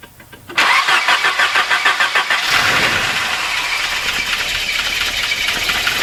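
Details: 1988 Volvo 240 GL catches after a brief crank and settles to idle with a light, fairly quick tapping underneath, an unconfirmed engine knock at idle the owner thinks is most likely piston slap; otherwise the engine runs fine.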